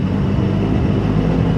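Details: 4-speed dogbox, first start after adding clutch pedal travel so the stock master cylinder pushes the slave far enough, clutch pedal to the floor: even low drone with a steady singing tone; normal straight-cut gear whine.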